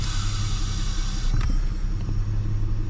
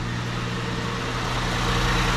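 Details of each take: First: 2008 Ford Edge: airy hiss over steady idle when the brake is pressed, from the back of the brake booster; ruptured diaphragm leaking vacuum, booster replaced. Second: 2008 Ford Edge after brake booster replacement and brake bleed: engine idling with brakes applied, steady even idle with no hiss by the pedal or whine under the hood as before; normal idle.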